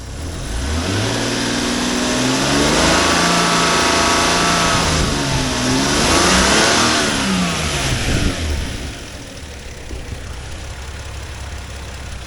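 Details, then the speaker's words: 1997 Lexus LX450, 4.5L 1FZ-FE, automatic, 325,000 miles, still runs and drives, hood open: low, steady idle with smooth, even firing and no knocks or ticks; nice and quiet, healthy. "Has 325,000 miles on it. Still runs and drives."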